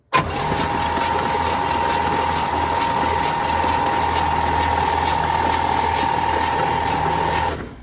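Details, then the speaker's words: 1966 Cadillac Eldorado that sat about 40 years, first start attempt: the starter turns it over at a steady, even pace for about seven seconds with no grinding, but it never catches. Crank, no start. "There you go. She kicking over, but she ain't catching."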